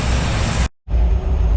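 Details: Rebuilt 1955 Chevy V8 with stock parts and 180° thermostat, after cam break-in: deep even rumble, no knock or tick; normal running, though voltage dropping and alternator suspected of squeaking.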